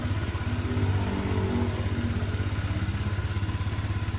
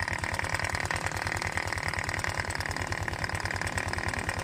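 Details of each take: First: Honda Vario 125/150 scooter after repair of a blown head gasket (compression leak had made radiator coolant spray when throttled) and a failed water seal: an even, steady low putter at idle with no knocks or rattles, no rough noise anymore. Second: Honda Vario 125/150 scooter spraying radiator coolant, idling with cooling fan removed: coarse, uneven rattly running about three beats a second; oil spatter found behind magneto cover, air leak at magneto-side crankshaft seal, seal to be replaced.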